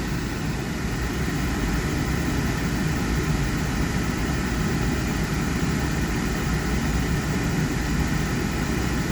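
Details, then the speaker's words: Thermo Pride Spirit series 80% oil-fired furnace on a simulated call for heat, oil delay valve active, before the blower starts: steady, even burner roar, no pulsing, sputtering or rumble; normal burner firing. "flame started well delay valve activate for several seconds and about 15 20 30 seconds the fan will kick on"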